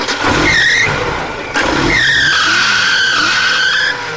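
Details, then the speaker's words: Suzuki engine revved hard gives a loud high squeal that rises and holds, the belt slipping on the alternator pulley. Belt squeal under acceleration; the belt needs attention, though it shouldn't be overtightened. "Well, it's a good squealing belt. Yeah, Well, it squeals really loud. Okay. It's only because he's like giving it a bootful,"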